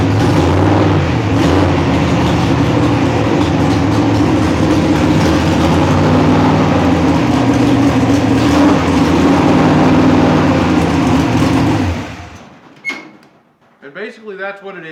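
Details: Mechanically injected dragster engine, hot start (about 180 degrees): loud lumpy but steady fast idle about twelve seconds, firing evenly with no misses, faster than usual from cold dense air; normal fast idle.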